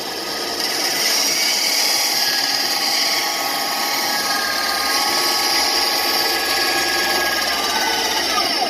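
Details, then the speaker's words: Bandsaw forced round a tight curve without relief cuts: steady high saw hiss with rough scraping as the blade binds and the motor labours. "you hear that? That's what happens when you don't make relief cuts."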